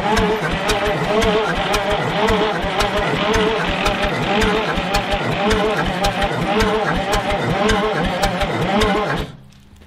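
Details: Old bullnose cabover semi parked about 20 years, batteries hooked up: slow, laboring crank with even thumps about three a second, never fires; sounds like it's dragging, injector pump being checked, batteries running out.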